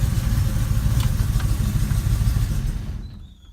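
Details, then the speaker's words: Car engine keeps running a few seconds after the key is turned off: uneven low chugging that fades out; owner believes the electric cooling fan, wired without a relay, back-feeds the ignition and plans to add a relay. "since when I turn the ignition key off is that it continues to run not easily as just that the engines run for a few seconds"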